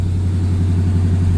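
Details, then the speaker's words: Cold-started 1969 Camaro SS 350 V8 on thermostatic choke holds a steady fast idle around 1,300 rpm, much faster than normal, until a throttle tap drops it a step; normal warm-up. "and this is on a on a on a fast idle uh because it's cold and I just just uh took it out of the garage I don't know if you can hear that fast idle but"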